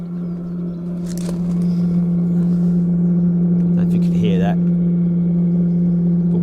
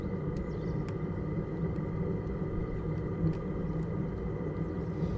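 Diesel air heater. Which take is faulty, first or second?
second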